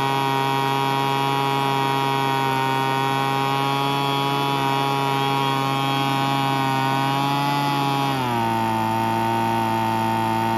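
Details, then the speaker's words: Weed Eater BV1650 two-stroke blower vac after about 10 minutes running: steady high buzz that sags to a rougher note and won't hold a clean idle; carb needs rebuilding, limiter-capped adjuster screw gave little change. "oh yeah that's about what I thought so we'll have to go through the carb it does have a limiting cap on the adjuster screw and I did mess with that a little bit but um there wasn't much change in it"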